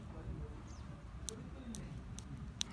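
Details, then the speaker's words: VW Polo 6N automatic stuck in gear 3, valve body solenoid bench-tested with battery power: four sharp, crisp clicks over low rumble; solenoid working normally. "so let me try out and see if you can hear the clicking sound yeah you can hear it from far"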